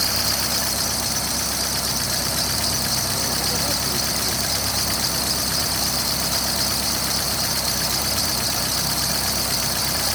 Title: стук гидрокомпенсаторов и их ремонт.ч1